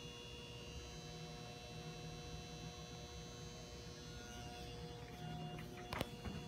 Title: Old, noisy fluorescent light bulb